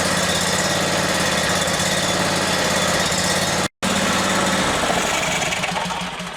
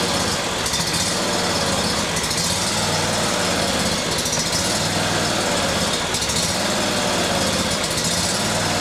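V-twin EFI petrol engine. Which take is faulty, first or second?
second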